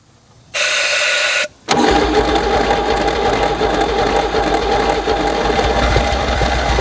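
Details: Abandoned 1964 Chevy Biscayne, parked 30+ years, after cleaning the points and spraying brake clean into the intake: short crank, brief pause, then catches and settles into a steady, even run with no misses.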